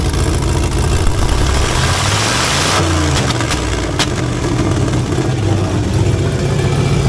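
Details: 1985 Monte Carlo with a single-turbo 4.8 V8 and 4L80E, being fixed for not making boost: heavy idle blips up and settles with a raspy puffing edge; exhaust leak under the header wrap, possibly at an unused O2 sensor plug.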